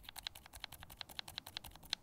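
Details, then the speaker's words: Glorious Lynx linear switch lightly lubed with Krytox 205g0, tested without keycaps: quick crisp clacks, about six a second, with no scratch; smoother than the dry switch, normal action. "next is our lightly lube switch and i can already hear a sound difference between the two and it is quite a bit smoother"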